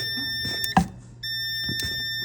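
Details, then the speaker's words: 2000 Telsta T-40C basket joystick tested on the number 10 wire (down function); a steady continuity tester tone drops out for about half a second then returns, an intermittent break in the micro-switch circuit, so the joystick gets opened up. "but it is intermittent and cutting out. So we need to tear into it and see what's going on in there."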